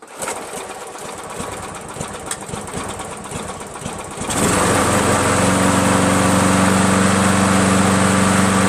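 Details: Free green Craftsman 7HP self-propelled mower: after a struggle it catches and settles into a steady four-per-second thump, running evenly but hard to start. Valves lapped twice, keyway checked, carb cleaned thrice and replaced; owner suspects weak gas, spark or carburetor, unconfirmed.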